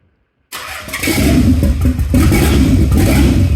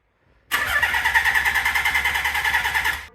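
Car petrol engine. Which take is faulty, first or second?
second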